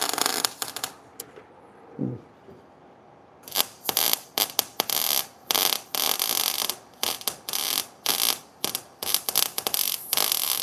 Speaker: See, that sounds good to Hey, that that sounded way better to me.